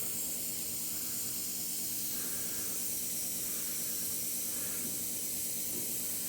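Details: Shop hydronic heater found cold, system not bled after earlier work: steady, even hiss of trapped air escaping from the opened bleeder, no water yet; air-bound heating loop.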